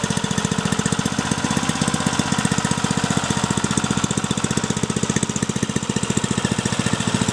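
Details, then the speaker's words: Briggs & Stratton 3.5 HP single-cylinder engine, age unknown (owner guesses over 10 years), likely little used, after clean-up and carburettor fix: crisp, even beat of about four pulses a second, holding speed steadily; normal running. "running good near the very brilliant I'm happy beautiful beautiful"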